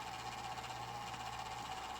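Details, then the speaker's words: Small cooling fan on a Golden Tee Fore arcade board on the bench, previously oiled: steady rough whirring with a nagging mid-pitched tone and hiss; likely a dry, worn fan, owner plans to oil it again. "that fan is atrocious I'm gonna have to fix that as well I'll just oil it again"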